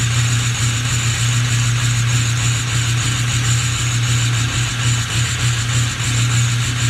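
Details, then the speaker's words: Ford 6.0 Powerstroke diesel at cold start: a deep idle with an uneven, stumbling beat, rough and missing, with quite a bit of smoke, no check engine light, ABS light on; cause not confirmed. "definitely sound a little rough just now starting to pick up hold starts are great definitely smoke so quite a bit no check engine light on we do have an ABS light i definitely tell it's missing"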